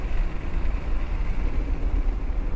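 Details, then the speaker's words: Acura NSX on track under braking: fast rhythmic low-frequency thrumming pulses over engine and road roar, felt in the pedal like ABS engaging; suspected cracked brake rotor. "it definitely feels like something's cracked as I'm hearing there and you can kind of listen to this listen for the shutter as I break it just sounds like a little like rhythmic fast you know low low frequency uh vibration"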